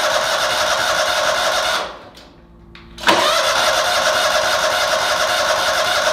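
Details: Toro Wheel Horse 522xi garden tractor that would not start after sitting four months, during fuel system troubleshooting; engine cuts out, cranks briefly and catches, then settles into a steady even run with no stumbling. Normal running.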